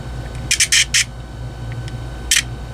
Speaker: kind of sounds like gear stripping to me.